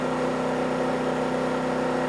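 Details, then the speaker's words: Champion 2500 W starting / 1850 W running dual-fuel generator (100899) under heater resistive load from about 700 W to 1600 W, holding 119 V: steady even drone at constant pitch, no hunting, misses or knocks; carrying load well. "And it's doing great. Want to turn it up a notch? Okay, so now we've kicked it up to 1600 watts, and we're still holding true at 119 volts. This thing is still well within reason."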